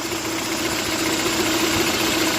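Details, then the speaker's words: Engine idling with power steering belt removed: noise reduced, still humming with a steady whistle and faint hiss; elimination method to find whistling accessory-drive roller or bearing, alternator belt next. "конечно шума стало меньше он тоже гудит но всё равно какой-то свист есть"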